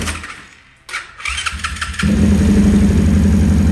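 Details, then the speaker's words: Orion RXB 150 pit bike single, weak battery on charge, after adjusting valves that were open and losing compression and causing hard starting: a second of cranking, then it catches cleanly and settles into a quick, even idle; starts far better. "Starts in better now with the valves adjusted."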